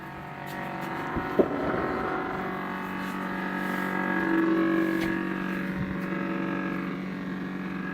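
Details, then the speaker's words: Refrigerator: steady droning whir with several fixed tones and no knocks, an abnormal running noise traced to the back, about two-thirds to three-quarters of the way up near a taped cord, louder inside; cause unclear. "sounds like right here you see a little tape in the cord let me see yes right here here's where it sounds like"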